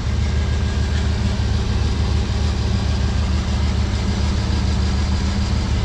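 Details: 1996 Chevrolet Suburban, 5.7 Vortec V8 with 4L60E, idling with a deep lumpy beat and uneven stumble; a long-standing cylinder misfire, with a possible slight head gasket leak suspected. Owner plans to pull each plug lead to find the dead cylinder.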